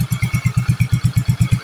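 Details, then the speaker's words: Yamaha Soul GT 125 / Mio M3 scooter after installing a steel-lined cylinder block: steady even putting at about eight pulses a second with no knocks or rattles, no exhaust smoke. Smooth, healthy idle. "sudah tidak ngabul ya. Tidak ada pengabulan di knalpot, dan hasilnya sudah cukup sangat baik sekali."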